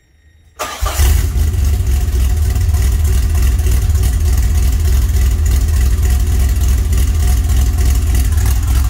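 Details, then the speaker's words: 1981 DeLorean with carburetor, start after electrical and cooling repairs: catches in under a second and settles into strong, even low rumble; idle around 750 rpm, good oil pressure, about 6 psi, alternator charging; healthy. "Oh yeah, I love that sound. Listen to that baby purr."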